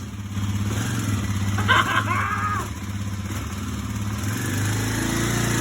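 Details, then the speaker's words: 2009 Kawasaki KLX250S single-cylinder after cleaning the throttle body and fresh gas, choke used: steady fast idle thump rising slightly at the end, runs smoothly; a leak from a hose or gasket noticed. "She wasn't running at all 6 hours ago. This $1,200 bike just became a $3,500 bike, just like that."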